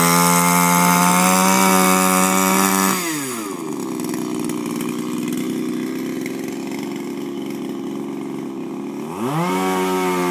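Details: Refurbished Shindaiwa power broom with new carburetor, gaskets and recoil, running without air filter: two-stroke at steady high rev drops smoothly to an even idle, then picks cleanly back up. Healthy running after the rebuild.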